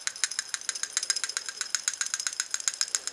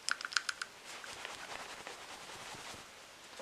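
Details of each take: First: 2004 Subaru STI EJ engine, 118,000 miles: new, good PCV valve shaken in hand rattles freely with crisp light clicks about four a second, in contrast to the old bad valve. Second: 2004 Subaru STI EJ engine, 118k miles, old PCV valve shaken by hand: a few dull clicks then faint rustling, gummed up and not rattling freely like a good valve; whole assembly replaced.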